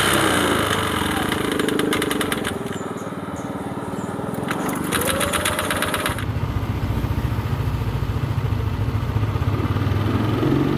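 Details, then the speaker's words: Yamaha Lexi 125 scooter after repair of an engine run low on oil, rough noise blamed on a worn piston: a steady, even idle putter with no knock or rattle, very different from before, with slight smoke from the wet exhaust. "kya gini teman-teman untuk putaran saya saudaranya suara seperti ini ya sangat berbeda jauh dengan yang kemarin"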